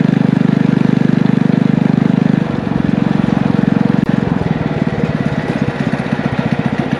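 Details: Small single-cylinder power-washer engine with muffler on a DIY motorized trike, torque converter clutch, ridden under load: even exhaust beat firming and slowing slightly as load comes on, no misses; running well.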